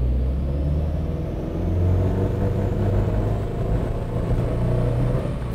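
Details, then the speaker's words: Subaru WRX STi on a dyno with a Haltech ECU at about 1.5 bar boost, coil dwell set too low. Under full load the drone turns rough as it misfires once cylinder pressure builds; power drops and AFR reads lean. "I again can feel and hear that the engine is misfiring so it's very clear to me."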